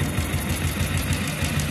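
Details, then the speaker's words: Motorcycle engine with head noise, at idle: quick, even tapping knock after the cam chain tensioner was pushed in too far; it should be adjusted only lightly, stopping where the noise stops. "அந்த சவுண்டு இது இடிக்குதுன்னு அர்த்தம். இது ரொம்ப பண்ணக்கூடாது."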